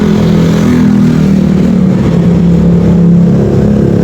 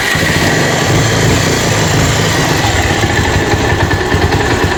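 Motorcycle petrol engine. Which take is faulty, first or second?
second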